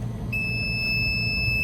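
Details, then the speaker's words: Chicago Electric 500 A Harbor Freight tester loading an EverStart 29DC 12 V deep-cycle battery on a boat with twin 454 gas engines: steady high-pitched beep over a low hum, the overheat alarm after about half current; back off the current. "Alarm goes off, telling you it's heated up. Back off the current."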